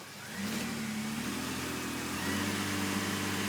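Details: 2002 Chevy Impala after a loud noise at the gas pump: engine revs smoothly and holds high while shifted through low, reverse and drive, car won't move; shift cable turning, some oil leakage; bad transmission suspected. Engine revs with no drive.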